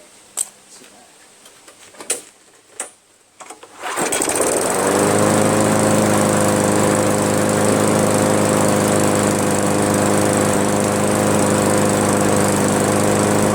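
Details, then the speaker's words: Craftsman push mower, Briggs 158cc, after cleaning carburetor and adjusting the fabricated governor spring: handling knocks, then fires and holds a steady, even high buzz around 3000 rpm with no surging. "there we go that's okay those rpms are running around the 3000 area"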